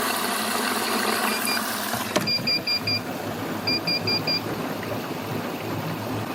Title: Bosch Serie6 WASH+DRY 7/4 KEEPS BEEPING